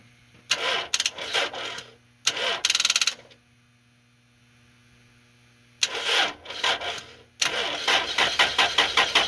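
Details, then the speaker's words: 2000 Toyota Celica, 242,363 miles, no-start with a flat battery on the charger and a loose starter bolt found; several bursts of steady cranking at about three turns a second, none firing, before starting fluid is tried. Cause suspected, not confirmed. "i decided to try a bit of starting fluid to help me diagnose what exactly is going wrong here and to see if i could get it to run"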